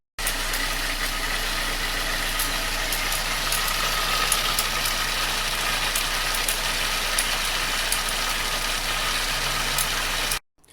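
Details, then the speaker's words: 2003 Pontiac Sunfire 2.2 Ecotec L61 petrol at idle, before tensioner replacement: light quick rattle about four times a second over steady idle; timing chain slap, later inspection found damaged timing components. "Hey, we're here today with a 2003 Pontiac Sunfire 2.2 Ecotec or L61, and we have some timing chain slap."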